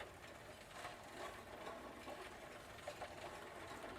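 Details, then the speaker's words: Old Dutch Phoenix Mentor single-speed bicycle after full drivetrain replacement, chain too slack: faint light scraping ticks with each crank turn as plastic chain case trim rubs the crank arms; chain case rubbing crank. "can you hear that stupid trim piece rubbing against the crank arms"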